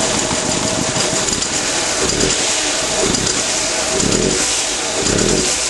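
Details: 1996 Nissan Almera 1.4 at idle: loud, uneven lumpy stumbling beat about once a second instead of a steady hum; bad misfire, missing on a cylinder.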